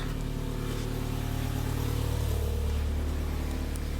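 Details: 1994 Mazda Miata NA, naturally aspirated, just started after replacing failing fuel pump with Deatschwerks DW200 255 LPH pump: even, steady engine note rising smoothly on revs, no stumble or miss; runs healthy.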